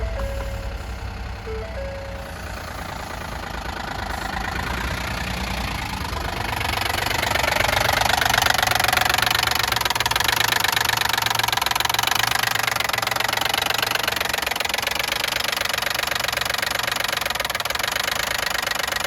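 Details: 2012 Ford F-150 crew cab pickup at 295,570 miles: engine runs with a steady rapping knock, about four beats a second, over the motor's hum.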